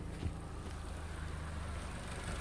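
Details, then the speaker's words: 4-cylinder car on LPG idling just after replacing worn, clicking STAG WC-03 gas injectors that had caused jerking and shaking: low, steady, even hum with no misses; normal smooth idle on gas, no recalibration needed. "teraz no i bajka jak maczkiem zasiał także tak No to po wymianie wtrysków będzie dobrze chodzić"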